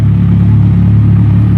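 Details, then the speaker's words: Yamaha XJ6 motorcycle engine just after starting: steady low rumble with light valve clatter while oil reaches the top end; normal for this large engine, fades shortly. "eu liguei para olhar o barulho do da válvula no interior do motor o motor é muito grande"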